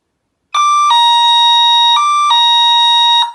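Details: Solar wireless infrared beam sensor security set with solar siren and strobe, armed by remote: a loud two-tone siren alternating high and low roughly every second, then cutting off cleanly; the alarm has been triggered.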